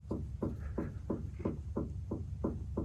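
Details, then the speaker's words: 2003 Toyota RAV4 front suspension clunking; dull hollow clunks about three per second as the sway bar end link is shaken by hand, worn end link with play in a joint, both links to be replaced. "so when your car is making a sharp turn it won't lean excessively and this is what is bad in this one if you listen right"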